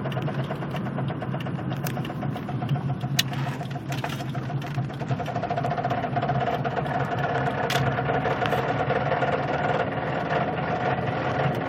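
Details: Vehicle driving slowly: irregular dull knocks, under two per second, beneath a low engine drone; cause not identified.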